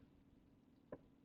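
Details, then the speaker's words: Tesla Model Y driving at night, quiet cabin with no engine noise to mask sounds: one sharp isolated pop stands out in near silence, an unexplained click from the car. "et of clicks and pops that you hear on the car which presumably happen in a regular car but because this car is so silent you probably don't hear it because there's no engine noise masking what you would usually have"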